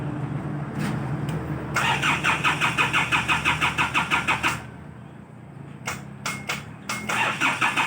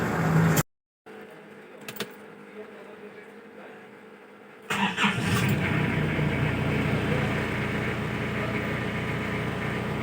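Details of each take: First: Isuzu Bighorn parked unused about 8 months since end of 2022: starter cranks at about three beats a second in two long tries without catching, engine reluctant to start after sitting; hard starting. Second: Isuzu Bighorn restarted after about 8 months parked (not run since end of 2022), previously hard starting: engine catches after a few seconds and settles into a steady, even idle with no knocks or misses; normal idle.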